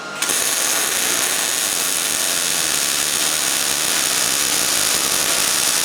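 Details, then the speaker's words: New Miller Millermatic 211 MIG welder with voltage turned up to about 7.5 after a too-low setting skipped: steady even crackling hiss like frying bacon, no popping or skipping; normal MIG welding sound. "I know sometimes the wire sound or the sound of the welder really messes with the camera I've noticed that in the past but I think this one is really gonna do well for us"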